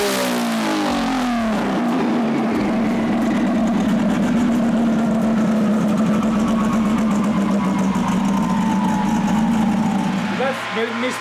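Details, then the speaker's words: RB-engined race car being tuned: steady revs sound ragged and uneven with beats dropping out under load; misfire on multiple cylinders, number five dropping out right away, earlier number four, cause not yet found. "on multiple cylinders now? Number five just [ __ ] just drops goes right away."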